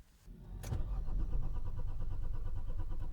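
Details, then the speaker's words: Slow, uneven cranking at about three turns a second that never catches. It cranks but will not start; the cause is not confirmed. "Allez. Non, elle veut rien savoir."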